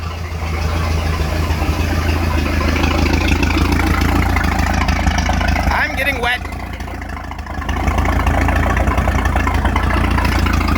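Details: Speed boat inboard engine after repairs, started with water on; steady even low rumble, smooth firing, no knocks or misses, settles back to idle properly; runs fine, though raw water hose is leaking.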